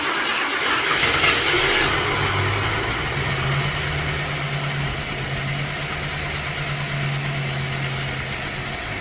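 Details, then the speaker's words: Revived junkyard Ford Thunderbird V8 with a bad accelerator pump: an even, steady idle with a smooth hum and no knock, much quieter now that the crankshaft no longer hits the oil. "That's quiet. You know how much it It's amazing how much quieter it is without the crankshaft hitting the oil."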